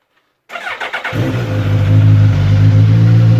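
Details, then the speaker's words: Suzuki GSX-S 1000F during rebuild, started after refitting the tank: brief crank, then it fires right up and settles into a strong, even low-pitched idle with no stumbles, with ABS and traction control lights on the dash. Healthy start. "fires right up beautiful Suzuki 1000 there's our Dash we have our abs and our traction control light"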